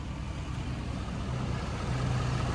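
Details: Ford 6.7 Powerstroke diesel just after oil change to 5W40 with CAT oil filter and fuel filter conversion kits: steady, even low rumble with no clickety-clack knocks or ticks; normal idle.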